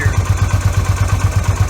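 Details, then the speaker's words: Yamaha V Star 250 after fitting an electric fuel pump and a manual V-Star 650 petcock in place of the vacuum pump and original petcock: a steady low thumping idle with no stumbling or hunting. It runs good, and a 20–30 mile test ride showed no issues. "I mean, you can see for yourself. It runs good."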